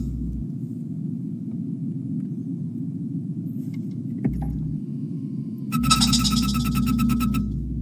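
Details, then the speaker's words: 2004 Toyota 4Runner: quiet idle, then rapid high chirping about four times a second each time the brake pedal is pressed, worsening over a year, no dash lights; failing brake booster accumulator. "And that's just me every time I press on the brake pedal, it would create that noise."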